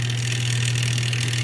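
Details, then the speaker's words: Whirlpool top-load washer set to spin after a faulty wire connection was fixed: a loud, steady low hum with nothing turning, the motor powered but stalled. Suspected clutch not grabbing or a jammed pump blocking the motor. "we got it on spin at the moment she's not spinning so I look in the bottom here she is going on that tells me something the clutch is not grabbing something's going on"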